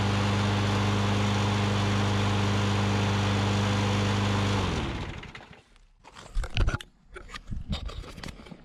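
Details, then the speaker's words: 2003 Troy-Bilt push mower with priming and governor issues, after a carb clean and O-ring fix, starting without primer: steady, even single-cylinder drone at constant speed without surging, then a clean shutdown; running properly. "awesome well running great uh just one more quick overview we had the issue it needed a little bit of a carb clean"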